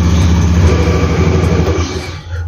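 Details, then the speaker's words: Honda Beat FI scooter, engine cold at 6 am, after swapping the NGK for a Brisk racing spark plug, started with both starters: it starts immediately with a smooth, even engine note and no stumbling. Normal cold start. "ini langsung ya saya starter pakai double langsung ya nggak ada masalah"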